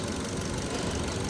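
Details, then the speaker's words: 2015 Kia Cerato after replacing the faulty injector (a Santa Fe injector fitted): steady, even idle with a smooth low rumble, no stumble or shake; scope signal normal and misfire gone. "مثل مو شايفين البنجا صار تمام وهنا السياره صارت ما بقى فيها رزه"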